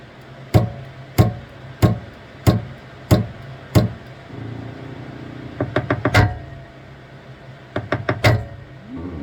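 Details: Saturn Ultra 4 16K resin printer after starting a print: platform tray keeps rising, giving sharp loud knocks about every two-thirds of a second, then quicker clusters of clacks as the Z-axis labors at its travel limit before resetting.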